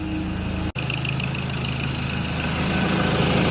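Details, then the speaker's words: Ford Ranger PX diesel (2.2/3.2) idling after a DIY major service with new oil, oil and fuel filters: even, low diesel clatter with a steady beat, no misses or knocks; oil light out, checking for leaks, normal idle. "Oil light has disappeared, so we're all good to go."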